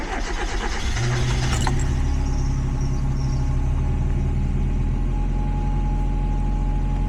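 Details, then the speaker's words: NA Mazda Miata, fitted with a custom remote idle air control valve after the original failed: catches after a second of cranking, then holds a smooth, slightly high idle expected after start, the new valve audibly whirring; normal high idle after start. "So, it idles up idles a little high on the initial start, which is how it's actually supposed to act. And then with some luck, it should just kind of come down on its own here."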